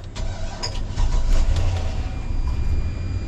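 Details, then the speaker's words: 2006 Chevrolet Silverado 2500HD 6.0, no-start: fuel pump tapped with hammer to revive a failing pump motor; starter whirs, engine catches and runs unevenly briefly on starting fluid; no fuel delivery, failing fuel pump suspected. "hit it with a hammer hmm ain't got no gas in it what's going on here is if that motor in there inside of the pump is failing a couple of vibrations can get it to get it kind of going again"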